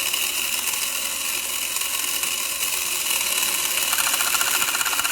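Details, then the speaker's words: Electron Robot toy gear set, with a cam on the bottom gear lifting the drive pinion, whose raised position taps the flapper switch that flashes the eyes: fast, light whir with loose, uneven ticking; normal gear drive. "So the gear is being lifted by a cam on this bottom gear, and actually the two gears do not agree with the gear count does not agree, so they're going to be traveling at different"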